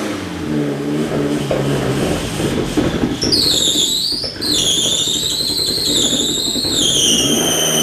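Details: Fiat 500 Abarth engine in a Fiat X1/9 test body starts and runs on fuel in a test cell, low steady hum with a loud high squeal rising and falling over it.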